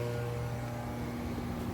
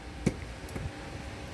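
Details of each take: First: Konzert AV-502B amplifier from 2014, cleaned, plugged in: steady low mains hum with no sound output; capacitors blamed, failing filter capacitors. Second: Konzert AV-502B amplifier that hummed with no sound, after cleaning and replacing a capacitor: a single crisp click just after power-on over a faint hum as the speaker protection relay engages normally.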